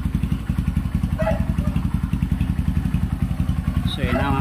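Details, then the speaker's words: Kawasaki Barako 175 after clutch work for first-gear shudder (kaldag), test run: steady even thumping, no scraping, clutch takes up cleanly; slight shudder remains but far weaker than before. "Wala na yung mga parang kumakagiskis sa gilid niya. Paakyatin muna natin yung langis. Na mga kapit, wala na yung kaldag niya."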